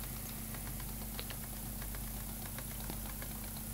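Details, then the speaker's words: DIY pulse motor with coils mounted very close to the rotor: light, uneven ticking about once a second over a steady low hum as the rotor taps the side; rotor needs centering, possibly due to one coil's position. "it needs to be centered slightly I can hear it tapping the side of out again"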